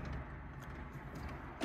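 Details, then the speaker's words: Smart Fortwo 451 after clutch shifting actuator fix for hard clunk into gear (actuator had too much friction): quiet idle, then one soft brief click as reverse engages, no clunk or grinding; smooth reverse engagement. "back into reverse a very slight click and that's it so that fixes the problem"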